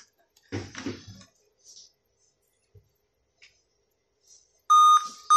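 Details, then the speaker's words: Dell i5 laptop with a continuous beep at power-on until boot. After removing the CMOS battery and disconnecting power and battery for 15 seconds, the charger is plugged in: a loud steady high beep, a brief break, then it beeps again. The problem is still present. "As you can see, we are still having the beep sound. It shows we still have another things to do."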